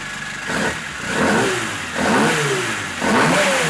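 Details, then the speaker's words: Rebuilt 1400cc A-series race engine, offset ground crank, big-valve ported head with roller rockers, raised compression: three crisp revs rising and falling cleanly from lumpy idle, no knocks; runs well but was lean, idle richened. "Alright, so that is everything back together, up and running, all seems good, sounds good."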